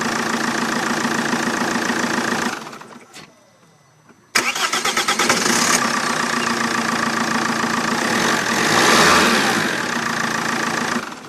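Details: Vauxhall Vectra 1.9 CDTi after a new starter motor fixed hard/no starting: steady diesel idle, shuts off, cranks briefly and fires straight into a smooth, even idle; normal start and idle.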